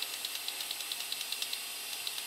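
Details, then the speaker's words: Toyota 22RE fuel injector, bench-tested: faint, rapid, weak clicks; it only dribbles with no spray pattern, so it is defective. "can hear just a slight click and it dribbles just a little bit but it's not doesn't give me a pattern so it's defective"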